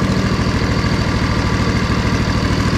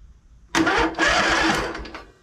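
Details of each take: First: Poulan Pro zero-turn mower with sealed hydros, first start after choke freed and fuel shutoff opened: steady even putt-putt about 200 beats a minute with brief swell midway; idling smoothly and healthy. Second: Poulan Pro zero-turn mower, battery about 12.4 V, after a blown fuse, safety switches engaged: starter churns about a second and a half and the engine turns over but doesn't catch.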